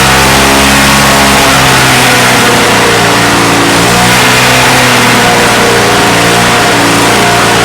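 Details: Salvaged, neglected Victa Mustang 20 two-stroke lawnmower after refuelling and priming: loud, buzzy two-stroke note holding steady with small rises in revs, running evenly; some smoke off the engine, owner thinks it has a couple of issues.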